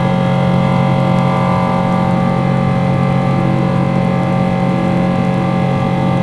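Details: Boeing 777 engines heard from the cabin shortly after takeoff: loud steady jet roar, louder than usual, with a hard droning tone and rough grinding, strained edge; cause unknown.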